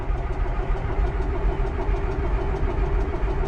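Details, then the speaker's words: New Holland 1895 forage chopper diesel, cold start: turns over slowly and unevenly with labored chugging, never settling into a clean run; owner jokes it needs more glow plugs and fuel, and notes it is often squirrely to start. "You know, every time I get the camera out trying to show off starting this thing, it's a little squirrely, isn't it?"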